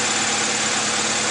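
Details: 2001 Honda CR-V after fixing misfire caused by a distributor rotor missing its screw, rotor replaced: even, steady idle with no stumbles, pops or misses; running perfectly.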